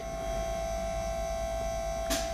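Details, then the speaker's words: Nissan 200SX S14 with a 1UZ V8 fitted with a ZEX nitrous kit, throttle switch being programmed: one sharp click over a steady electrical hum as the nitrous solenoid opens; it first triggered too early at 40% throttle, and the target is 85%. "and when I press the throttle you'll hear the click no but it's coming on too early see it's coming at 40 so I need to program it again"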